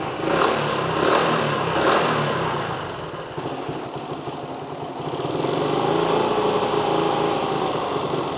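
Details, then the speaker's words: 1973 Honda CT90 on a cleaned and rebuilt vintage OEM carb replacing an aftermarket one, barely adjusted toward spec. The small single revs up and settles into a quick, even putter with a fan droning behind, worlds better than the aftermarket carb; normal idle. "I've just barely started to adjust it, you know, into spec, but I can go ahead and tell you it's worlds better than it was with that aftermarket one."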